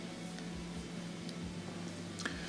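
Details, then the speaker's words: Gas fireplace with switch and gas valve in the on position: faint sharp ticks from the igniter, spark visible but no whoosh of flame, so it never lights; usually from dirty, carboned parts that need cleaning. "so I click it turn it on and I hear the clicks I can see the spark jumping but still no ignition"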